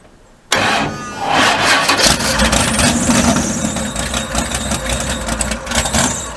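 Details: Mud bog truck V8, not run since January, third attempt with a starter that had been grinding. A short crank, then it catches and runs a little rough with no starter grinding; plugs are fouled and need replacing.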